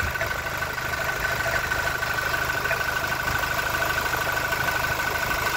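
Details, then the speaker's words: Toyota Innova Reborn diesel idling with the oil filler cap removed: steady idle with a soft, even thumping from the open filler neck, only slight vapour and oil spatter, no irregular beat; judged normal idle. "buiungungung ya itu normal ya"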